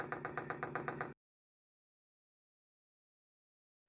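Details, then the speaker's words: Unbranded Chinese 5kW 12V diesel air heater replacing an Eberspächer Airtronic D2 (error code 72) on a boat; dosing pump being primed via a three-second button hold, rapid even ticking burst as it bleeds the fuel system; normal priming. "and there's the pump priming you see how it's bleeding the system there"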